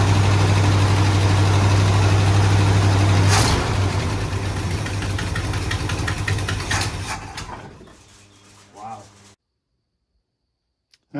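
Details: 1972 Ford F100 XLT Ranger V8 stored about 15 years, first run with coil bypassed and jump box (no key): catches, settles into steady low rumble for a few seconds, then sags and dies; engine running after long storage.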